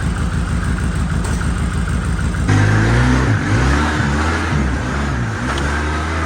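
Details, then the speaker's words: Polaris Sportsman 700 quad, long parked, run after jump-starting a weak battery: fires up, revs cleanly, pulls smoothly off idle and settles back with no misses or knocks; sounds good. "this is sounds good got to get up air pressure in there to get the uh fuel pump"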